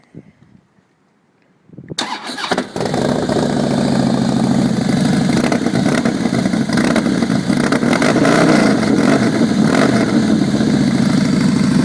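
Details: 2011 Harley Fatboy Lo V-twin just after a DIY exhaust swap with new manifold gaskets and no fuel management chip, believed to be running lean: starter catches, then a steady, even, lumpy idle with no popping or backfiring; normal start and idle.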